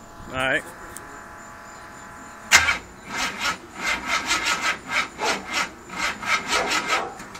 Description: This is a brand new .60 over Windsor with solid cam and dart heads....and I cant get it to run....its the carb or the distributor